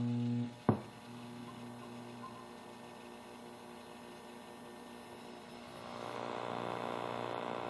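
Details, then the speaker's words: Nintendo Mario Bros arcade cabinet, 20EZ audio amp, just after replacing the amplifier and power transistor: steady low electrical hum, perhaps slightly quieter than before but still present; mains hum, ground loop suspected, cause not found. "a little bit of a hum but foreign it does seem a little bit better I'm not sure"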